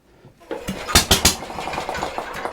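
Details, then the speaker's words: Antique Briggs & Stratton engine on a homemade mini tractor, points reinstalled, spark confirmed, run without air filter. Three sharp pops while turned over, then it fades out; fires a few times but won't keep running. "well I heard it kick over a couple times that's good let's try that one more time I want to hear it bark off like it did last night run more than just a second or so"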